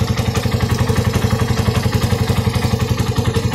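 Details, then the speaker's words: Freshly rebuilt Raider carb 180cc: 30mm flat-slide carb, 68mm steel bore, stock head and valves with port and polish, hollowed stock pipe with no divider; during break-in it idles smooth, even and very quiet with no ticking or knocking, like brand new. "Parang brand new lang. Parang nirefresh lang. Hindi siya parang di naka 180. Sobrang tahimik na makina."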